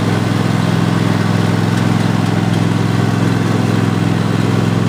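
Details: 2015-engine Cub Cadet XT1 Enduro Series lawn tractor (2016 machine, 4-5 years old) driving forward with the deck engaged: steady, even engine drone, no whine, grinding or clunks; hydrostatic transmission sounds healthy, steering good.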